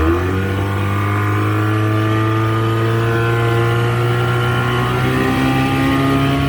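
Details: 1985 Mercury 35 hp two-stroke outboard test run under load after carburetor rebuild and adjustments; strong, even drone climbing slightly in pitch as it pulls, no misses or stumbles; running healthy.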